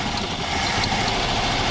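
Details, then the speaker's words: Abandoned Ford (either the 1962 Falcon or the 1967 Galaxie), first running start after sitting a long time: a loud, steady idle with an even low rumble and no knocks or rattles. "First running start. I would say that's what it was. You're quiet, ain't you?"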